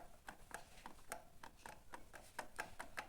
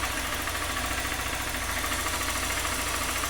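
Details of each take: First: 2020 Honda Fan 160 with a noise from the cylinder head, camshaft bearing turned by hand: quiet, uneven dry ticks about three or four a second; camshaft bearing worn with excessive play, causing the head noise. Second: 2020 Honda Fan 160 reassembled after engine noise traced to a camshaft with a lot of play, with very dirty oil changed: even, steady idle, smooth mechanical patter, no knocking or top-end rattle; noise gone.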